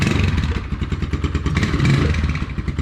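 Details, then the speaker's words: Scorpio motorcycle just back running after carburettor cleaning and decarbonising: single-cylinder idle with an uneven metallic clatter on each firing pulse from the rear; rattle not yet assessed. "a bit of a rattle in the back here like you'll hear it [Music] uh i need to assess that but that should be fine"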